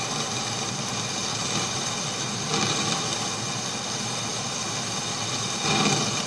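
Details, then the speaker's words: Boring the eccentric hole in a milling attachment for an Atlas lathe carriage; steady cutting hiss broken by harsh grinding surges as the boring tool digs in and hooks; risk of tool snapping. "Ugh, see, that's the sound you don't like. Hooking on the tool."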